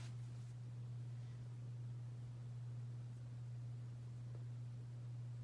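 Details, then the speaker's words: Hampton Bay Cameron II Plus ceiling fan from December 1999 on high speed: steady loud low hum while it spins very slowly from a bad capacitor; light works fine. "you could probably hear that humming and yes that is from the fan"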